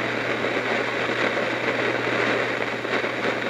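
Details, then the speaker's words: Heathkit T-4 tube signal tracer giving constant random crackle and fizz over a low mains hum; noisy component, likely its unreplaced old paper capacitors, suspected. "now I'm back again I have my signal traces running chicken here it has a noisy component"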